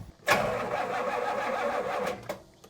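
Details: 1977 Pontiac Can Am after years sitting, after cleaning battery terminals: about two seconds of steady even cranking with no firing; engine cranking without starting.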